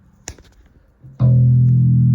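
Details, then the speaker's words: Sterling by MusicMan Ray 34 bass, stock preamp: hum when touching metal parts cured by grounding a wire to the input jack ground; quiet clicks then full steady bass note with no hum. "As you can see, we grounded it out. The hum went away."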